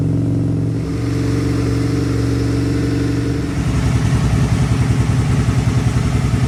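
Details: 2002 Aprilia RSV V-twin first start after service with fresh oil and filter: after a blip settles into steady even lumpy beat, no rattles or knocks; runs healthy.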